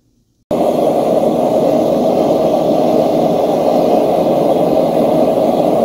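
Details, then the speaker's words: Homemade single-burner forge of 1/8" plate steel with coated insulated firebricks, first firing when finished: steady, even gas roar that catches and holds with no sputter, pulsing or popping; burner runs clean and works well. "So I think you can see that it seems to work pretty well. I'm pretty pleased with the results."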